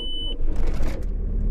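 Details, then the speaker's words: Bosch starter motor on a TDI Corrado conversion, after a strip-down, cleaning and fresh-grease rebuild with no new parts to cure slow, poor cranking despite a good battery. Brisk, even, deep crank with no struggling; repair successful. "well that sounds a lot more positive cleaner crank definitely doesn't sound like it's struggling I think that one's been a success"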